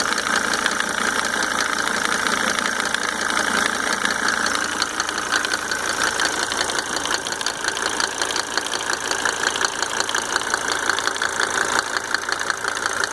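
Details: Mercedes 300D W124 2.5-litre diesel after fitting five newly rebuilt injectors with Monark nozzles: steady idle with a light, fairly regular tick about three per second over the clatter; source not determined.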